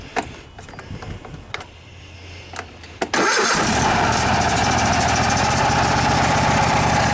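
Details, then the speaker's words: Craftsman riding mower, Kohler Courage 26 hp twin-cylinder, sat for years and would only run on starting fluid; after carburetor cleaning (float valve not replaced): short crank, fires right away, steady even run with no misses or surging. "good looks like that carburetor is doing the trick even without uh replacing the float valve"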